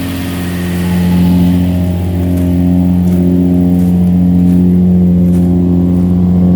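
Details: 2005 Infiniti G35 Coupe Rev Up, sitting about a year, service engine light on: exhaust shot with a deep, even drone swelling smoothly with revs, no rattle, tick or blowing leak; healthy exhaust.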